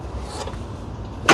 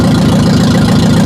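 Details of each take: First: Barn-find Ferguson TO-35, formerly seized engine, first start after fuel part replacement, no exhaust fitted: cranks, catches and holds a loud high steady speed that won't settle to idle; governor faulty. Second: Ferguson TO-35 barn-find tractor, previously seized engine, no exhaust fitted, after fuel repair, governor suspected bad: loud open-pipe chuffing at a steady even beat, no misses or knocks; healthy idle.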